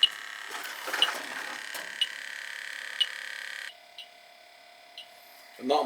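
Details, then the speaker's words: Carrier AC unit cycling on and off, nearly empty of freon: electronic leak detector chirps about once a second over its steady tone at the evaporator coil, showing a major refrigerant leak there. "yeah you've got a major league somewhere here guy major league evaporator coils leaking"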